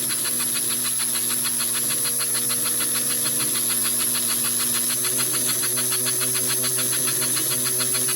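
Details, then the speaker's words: American Flyer 312 steam locomotive after new axle bushings, tender rivet/insulator and new smoke unit switch: steady chuff about 3.5 per second over motor whir and hiss; motor bogs slightly once smoke unit kicks in, otherwise runs properly. "So you can also hear that the motor bogs down slightly once the smoke unit kicks in."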